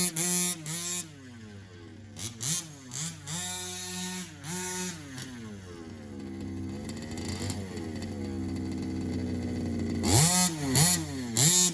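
Small two-stroke buzzes and revs up and down crisply, pitch rising and falling cleanly, settling back smoothly; running healthy.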